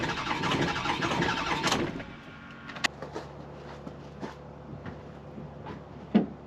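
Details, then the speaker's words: Ford 6.0 Power Stroke diesel, 200,000 miles, cold start on a 50-55°F day without the block heater plugged in: about two seconds of labored, uneven cranking, then a few scattered clicks, struggling to fire. "This is what a 200,000-mile Power Stroke sounds like when you try to start it without plugging it in."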